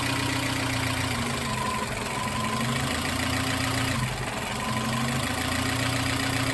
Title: Suzuki x90 misfire